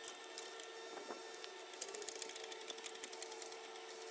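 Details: 2006 Dodge Durango 4.7L V8, 2WD: fast, sharp ticking puffs over the running engine from an exhaust leak at the right exhaust manifold with broken bolts.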